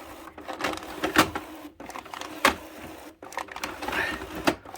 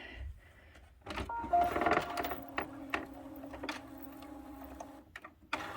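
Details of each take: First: HP 6520 printer during a print quality report after the black-ink repair: uneven clattering bursts about every second with sharp snaps between. The paper feed is struggling; the owner suspects paper wrinkled or jostled in the tray during the work. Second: HP 6520 printer that doesn't print black ink, during the final fix: short whirring carriage runs with soft clicks and pauses, smooth, no grinding or skipping; carriage moving normally to access ink cartridges.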